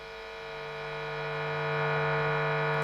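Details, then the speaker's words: P90 single-coil guitar through treble booster, guitar volume wound up; steady buzzing hum with bright hiss swelling with volume, noise clearer in the top end because those frequencies are boosted. "So you simply hear the noise clearer in the top end because that's the frequencies that are being amplified."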